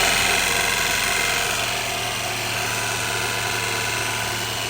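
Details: 1990 Honda CRX HF with freshly installed CRX Si engine, just started and revved after the swap: loud, steady airy rush with fast, fairly regular scraping underneath; radiator fan blade rubbing against the frame.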